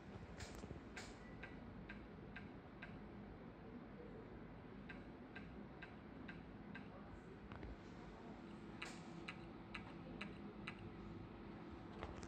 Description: Hard drive 1.8 of Toshiba, new one, making weird noise, it's was working 2 day fine, and after that it's making noise from hard drive and says on the screen that is not found the hard drive, but it's new, how this is happening???